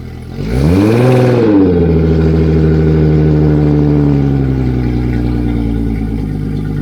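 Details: Yamaha F225XB outboard newly installed and rigged on a 21 ft pilothouse boat, fresh 20W-40 oil, running out of the water: catches with a quick rev, settles to smooth steady idle with even firing, no knocks or misses.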